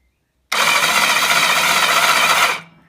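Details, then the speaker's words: BSA Fury SS (E35SS) motorcycle, final starter motor test with a more powerful battery and the spark plugs out. A steady, fast, even whirr for two seconds as the starter spins the engine freely; the starter works. "Okay, that sounds good. She's whipping her over."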